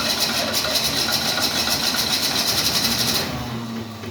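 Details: 1968 Ford Mustang with a carburetor and a part found disconnected: steady cranking at about four beats a second with no catch, then it drops away. It turns over but won't fire, cause unconfirmed.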